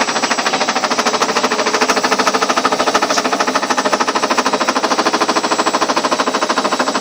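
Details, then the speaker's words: Ariston washing machine on spin with ordinary laundry: steady, fast knocking about three per second runs evenly through the spin, something loose striking inside the drum. The machine stands still and nothing touches outside. Cause unclear. "Даже она не прыгает, ничего, а просто стучит внутри. Что-то в ней внутри стучит."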